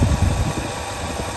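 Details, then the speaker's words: 1967 Lincoln V8 after replacing valve lifters, restarted at end of day once lifters pumped up: smooth low rumble with no tapping or ticking; the earlier loud ticking where a new lifter was fitted is gone, a quieter driver's-side lifter noise remains. "in fact it sounds almost normal now I don't hear any noise at all from over here this is where we had the loud ticking before"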